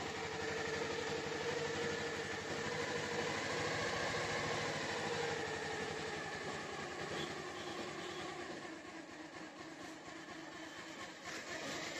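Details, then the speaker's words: Bajaj Pulsar 150 after new timing chain replacement and fresh engine oil, started in two clicks: steady even single-cylinder idle, previous chain rattle (khad-khad) gone; normal idle. "तो आप लोग गौर से सुन ली जिसकी आवाज एकदम चली गई यह जो खड़-खड़ थी वह सब चली गई है"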